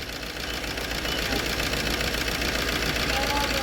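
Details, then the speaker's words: 2007 Maruti Swift, about 4 lakh km, idling after a timing chain and camshaft repair: rough, uneven idle with a loose knocking beat about four a second. It still feels slightly down; something stuck in an injector was first suspected, and the cause was an unseated injector connector. "अभी भी engine में है थोड़ी सी कमी महसूस हो रही है हाँ।"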